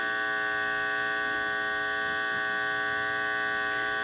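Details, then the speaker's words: Heathkit IT-12 tube signal tracer with its probe set to RF: only a constant steady mains hum with nothing on it and no RF picked up; the shorted probe ground lets hum in, and the owner wonders if the RF/audio labels are swapped. "I'm definitely uh picking the stuff up here. So, I'm just not picking up my RF."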